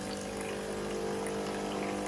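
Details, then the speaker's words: Nespresso Gemini CS203 coffee machine, repaired, on the rinse program after descaling: steady low pump hum with water rushing through, even throughout; pump running normally. "This is just rinsing the machine now."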